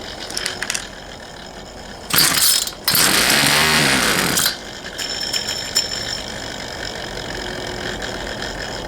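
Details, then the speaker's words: Poulan Pro 222 38cc two-stroke chainsaw with incorrectly plumbed fuel lines: catches with a couple of raspy high bursts, then falls away and won't keep running. "all right all right everybody as you saw it wanted to run but it just it wouldn't so did a little digging into it more and some research and realized that whoever plumbed those fuel lines did not Plum them correctly"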